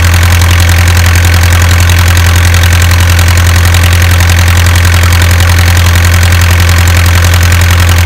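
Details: Isuzu 4BA1 85 hp diesel coupled directly to a 5-inch single-impeller pump irrigating a 20-rai durian orchard, pushing water about 800 m uphill; deep, even thrum, steady firing pulses about 160 a minute, holding speed; normal healthy running under load.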